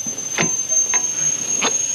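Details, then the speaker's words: Front brake caliper on car whose customer blamed the axle: sharp click about every 0.6 s with wheel rotation over faint ring; previously ground-down guide pins left a gap that widened over years, caliper shifts; axle fine, front calipers, pads, rotors recommended. "they ground the old pins out so they could fit but they ground them a little too much so they could fit real easy like and what that caused is a little gap and over the years it looked got a little bigger a little bigger a little bigger a little bigger and it's causing"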